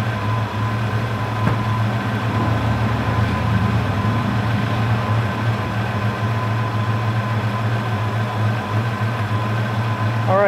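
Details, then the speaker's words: 1992 Ford Mustang LX V8 just fitted with new spark plug wires, coil, distributor cap, rotor, platinum plugs and MSD setup, started after air box refit: steady even burble, no misses or ticks, normal idle before test drive. "sounding good we're gonna go take her for a test drive"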